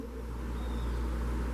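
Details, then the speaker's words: Single-phase Cubigel refrigeration compressor with a current relay and start and run capacitors, correctly wired after an earlier connection failed to start it: a low, steady hum swells in and holds, with no clicking or stalled buzz; a normal start. "Véanlo. Y arrancó el compresor."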